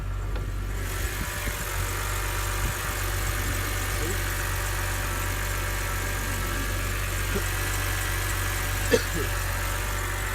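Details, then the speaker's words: BMW 1/3 Series after a coil was swapped into the misfiring cylinder and the check-engine light cleared: steady, even low idle with no stumble or miss. Normal smooth idle after the fix. "now the light should be gone and the car should be running pretty smooth let's see and you can see the lights gone and the car feels super smooth it sounds super good again"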